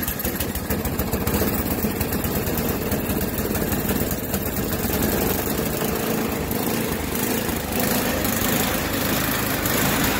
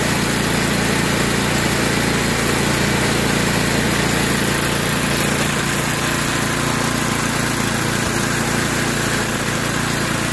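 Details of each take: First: Yard Machines by MTD 26-inch snowblower, Tecumseh 8 hp engine on fresh gas, idling: revs keep rising and sagging, surging hard enough to rock the wheels, though it runs fine under load in snow. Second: Yard Machines by MTD 26-inch snowblower with Tecumseh 8 hp engine, which surged at idle. After the fix (carb screw removed, soaked in carb cleaner about 10 minutes, wire-brushed), it holds a steady, even idle with no surging. Normal idle after repair.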